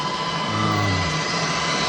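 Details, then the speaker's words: BMW K1600 motorcycle, added auxiliary fans on the oil cooler, switched directly from battery, with a deflector shield in front, after a cooling upgrade: steady airy whoosh with low hum settling in after switch-on, even and strong. Normal fan operation. "As I said, it's on battery, so I can just easily turn it on. And you can hear that fan's rocking. Totally rocking."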